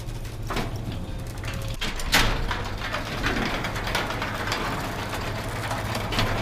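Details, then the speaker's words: Garage door with belt-driven opener after fitting nylon DuraLift rollers, rolling smoothly over low motor hum, only occasional soft clack because the door panels are bowed; big reduction from previous loud noise. "so now it's got the nylon everywhere and man it's a big difference the door still makes a little bit of noise because the doors kind of got some funky issues"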